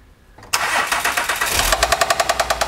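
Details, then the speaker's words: 2010 Acura RL SH-AWD 3.7 engine, run only seconds: loud regular hard knock about eight strikes a second over the idle; thrown rod or spun rod bearing, metal chunks found in drained oil. "unfortunately this one has thrown a rod or thrown a bearing something is really bad we did drain a small amount of oil out and there's metal there's chunks all in it's really bad"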